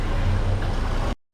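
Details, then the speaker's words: Volvo S60 inline 5-cylinder after piston rings and oil pan reseal, ran rough until crank sensor reconnected: low, even hum with no stumbles or misses, brief gap; now smooth, steady idle. "But now it's running really good, nice and smooth now."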